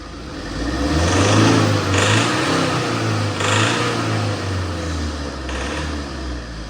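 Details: Tata diesel, shaking with engine light and fuel-system codes, fuel rail pressure about 200, below spec: throttle pushed, engine only swells briefly and never climbs in pitch; faulty high-pressure pump, off-mark timing belt, and damaged ECU found.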